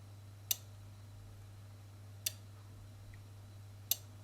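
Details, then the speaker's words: Tenda smart plug after replacing its dead electrolytic capacitor, switched from the app: three crisp relay clicks about two seconds apart over steady mains hum, light responding; relay switching cleanly and normally. "it click it's on click it's off you can hear the relay and you can see the light yeah"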